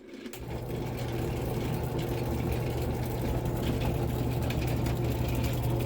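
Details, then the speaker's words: Rock tumbler sitting unused for a couple of years, running with a new, empty plastic barrel; steady low motor hum with a faint scuffing about four times a second as the barrel rubs on the bearing housing. "It's rubbing on those on that little housing for the bearings, and the furnace kicks on."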